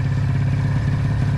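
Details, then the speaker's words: 1996 Ski-Doo Formula SS Rotax 670 two-stroke snowmobile, sat 10 years in storage: uneven burbling idle with ragged low pulse, won't throttle up; one carburetor starved of fuel by a frozen, water-filled fuel line. "oh it won't throttle up Let it idle just let it idle"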